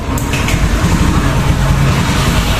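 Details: Honda Beat ESP scooter stumbling at upper throttle, hard to start: low, rough, uneven rumble that keeps faltering, starts then dies; failing fuel injector starving the engine.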